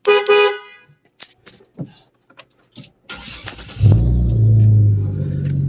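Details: Cadillac STS with a custom CTS-V steering wheel on an NRG quick release hub, horn newly wired, car idling: short clear horn blast then an even steady honk; horn works properly.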